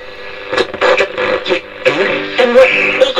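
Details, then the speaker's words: 1956 Grundig Transistor Boy valve/transistor hybrid portable radio, receiving in a shed on its ferrite antenna only: clear, strong, steady broadcast music and vocals with no hiss, crackle or fading; normal reception. "that's pretty good reception considering I'm only using the fite and we're in the shed uh that is really pulling it in"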